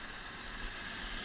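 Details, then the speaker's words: 1986 Toyota Land Cruiser, carbureted six-cylinder, warmed up: smooth even idle with steady low rumble and slight drivetrain noise, no ticking or knocking; runs nice and smooth. "idle down runs real nice too quiet you know all these Toyota's even the newer 93 point 0 6 cylinders they all have a little bit of you know kind of bow training noise but there's no ticking or knocking or anything it's runs nice and smooth"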